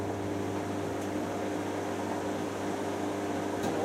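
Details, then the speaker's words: Hotpoint 9325 vented tumble dryer, about 1990, 4 kg load: steady hum with faint occasional light thud; rear roller bearing the drum sits in has deteriorating edges. "all that is that the roller bearing at the back that the drum sits in. edges are starting to deteriorate."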